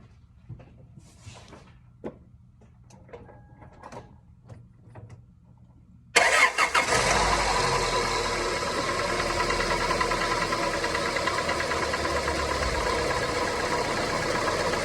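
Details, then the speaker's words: 2002 Toyota Corolla, about 110,000 miles, likely poorly maintained, timing chain tensioner already replaced without effect, first cold start in a month: cranks, catches, idles with busy metallic rattle-knock; owner suspects stretched timing chain or rod bearings. "this is the first time it had been started in a month but this is what it sounded like at that initial cold start"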